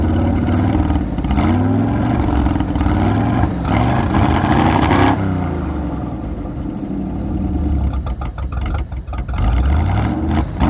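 V8 revving up and down with an uneven, lumpy beat between blips, the unsteady running of a vacuum leak.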